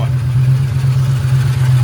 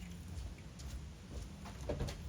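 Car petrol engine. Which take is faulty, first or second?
first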